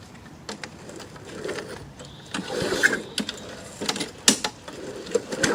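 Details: Free, trashed lawn mower after fixing a stuck carburetor float and tightening a leaking bolt: uneven, sputtering run with irregular pops and surges, not firing cleanly. It backfired on starting and runs poorly, but it runs and cuts grass.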